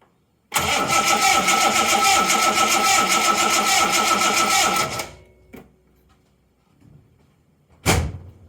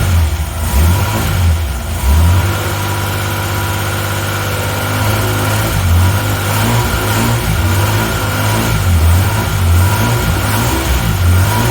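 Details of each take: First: 1980 Reliant Scimitar GTE SE6A that turns over but won't start: steady fast starter churn for about four seconds with no firing; strong spark confirmed at the plug, so fuel supply is suspected next, starting with the mechanical fuel pump. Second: 1980 Reliant Scimitar GTE SE6A, previously a crank no start after standing a month, left 10 minutes then fired on its own: low, steady, even idle with a smooth throb, no knocks or misses. Sounds lovely, normal idle.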